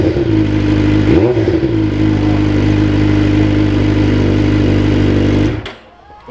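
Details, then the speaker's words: Suzuki GSX-R600 four-cylinder sport bike just restarted after an oil change with a new drain plug crush washer, run about 30 seconds to circulate oil: smooth, even idle with a steady hum and one quick throttle blip; healthy. "Okay, just probably start like 30 seconds or so, just so oil gets into everything. I love the sound of this. Let's hear that baby purr."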